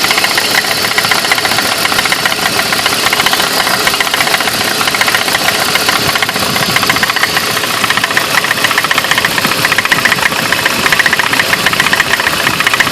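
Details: 2003 BMW E46 at idle: steady light tapping, about two knocks a second, from the front of the engine; owner suspects the water pump, which leaks slightly; engine also idles funny and new spark plugs didn't help. Cause unconfirmed.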